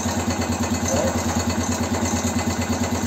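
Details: Motorcycle (BM Motard 259) after engine rebuild: steady idle with a light rhythmic knock about three times a second, seemingly from the top end of the engine; exact source not yet pinned down.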